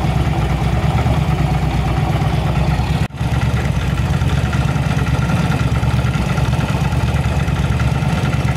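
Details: Yamaha V-Star 1100 Classic V-twin with backfire and plug flooding, after finding a rotten pipe and syncing carburetors: deep, steady idle pulse with no misses or pops apart from one brief dropout, normal idle on both cylinders.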